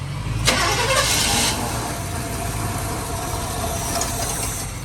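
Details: 1957 Chevrolet Bel Air, mostly original, first start after sitting about 19 years and sucking in fuel: a quick catch, then a steady, even rumble that holds without stumbling or dying. The engine is running normally.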